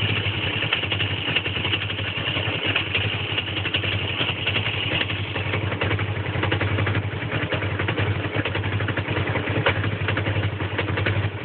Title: Rough idle